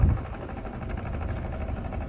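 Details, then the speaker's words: 1996 Mercedes W210 2.0 idling with a light, quick, steady knock, engine or gearbox unclear; knock stops when clutch is pressed; also noise in first and second gear while driving. "Скажите, кто знает, что за, не знаю, либо в моторе, либо в коробке. Вот, слышите, стучит."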